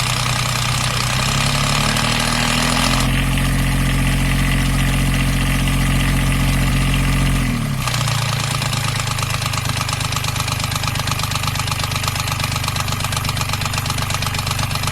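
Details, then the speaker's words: Beta 25 marine diesel past 800-hour valve lash interval, idling then changing speed: light regular top-end tapping near three per second over the rumble, louder at certain rpm that shift between cold and warm; owner suspects valve lash (rocker clearances), not confirmed. "Um, but I noticed not long after that the engine started developing a sort of an annoying tendency to tap louder at certain RPMs."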